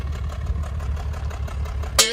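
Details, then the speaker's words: Nissan 300ZX V6 idling with a dead miss, an uneven stumbling low beat from one cylinder not firing, cut off by a brief whoosh; misfire still undiagnosed at this point. "And today we're gonna try to see if we could, or if we can, fix this misfire that we've been having. It's a dead miss."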